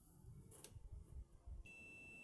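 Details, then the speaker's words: TRX4000 audio amplifier that won't turn on, one channel burnt; a multimeter on continuity gives a steady beep under a second. This output transistor shows a short across that pin pair. "medimos entre base colector tenemos corto entre base y emisor Y tenemos corto tenemos corto en todas las configuraciones este transistor está en corto"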